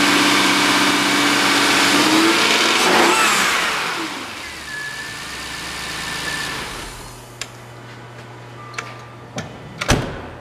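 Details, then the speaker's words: 2003 Jaguar XJ8 V8, automatic, 138,000 miles, rear-damaged parts car, recorded from a tripod-mounted camera: it catches and revs cleanly, then settles to a smooth, even idle with no knocks or misfires. Normal start and revving. "as you can hear this car starts and runs excellent"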